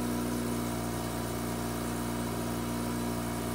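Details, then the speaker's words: Mazda RX-8 rotary after coil and plug wire reconnection (Leading 1, Trailing 1, L2, T2) for cylinder 1 misfire, just started at 2000 rpm slowly dropping: steady, even, unbroken hum; smooth normal idle. "I don't know if this is too soon to say, but this sounds smooth. Like, this sounds like very smooth idle."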